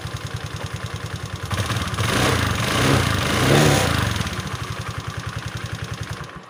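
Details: Automatic belt-drive scooter after refitting the slipped kick-start shaft, which had moved inward and rubbed the cooling fan: even single-cylinder putter with one smooth rev up and down, no rubbing or scraping; running normally.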